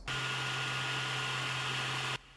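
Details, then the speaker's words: Ender-3 3D printer with stock fan, before swap to a Noctua fan on the 24 V outlet; loud steady whirring hiss and hum that stops cleanly when switched off; loud cooling fan noise. "We'll go ahead and install this to our 3D printer, and once done, our fan noise will go from sounding like this"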